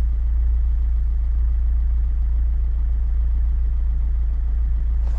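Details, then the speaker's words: Chevrolet Niva after finding and fixing a vacuum air leak with a smoke generator: steady low even idle with no hiss, misses or stumbles, just a faint slow wobble; idle now smooth. "Ну слушайте конечно ровнее ровнее стал работать мотор есть какое-то колыхание"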